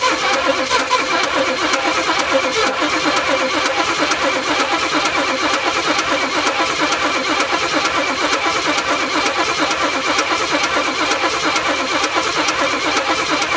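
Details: M715 military truck, unstarted six or seven years, old plugs, extra fuel filters added: rough, uneven beat about one pulse a second over busy rattle as the engine fires and keeps running after long storage.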